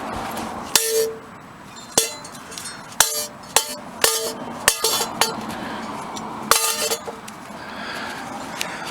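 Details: 2009 Cadillac CTS 3.6L LY7 RWD, removed flexplate handled by hand: sharp metallic clinks and ringing rattles about every second as it moves; outer ring separated from the plate, causing the engine knock heard loudest at the 6L50E inspection cover.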